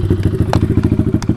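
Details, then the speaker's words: Taotao DB17 125 with a new carburetor and a cleaned air filter, choke fully off, idle screw turned down after it idled high; even single-cylinder thump at about ten beats a second with no misses, a good idle. "sounds like a pretty good idle"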